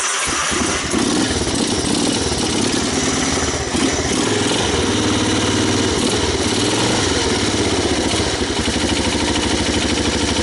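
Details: 1985 Honda ATC250ES Big Red that sat about 20 years, rodent-infested, with a stuck valve, first started on starting fluid with choke on: the single cylinder runs a fast, busy, slightly ragged idle but keeps running.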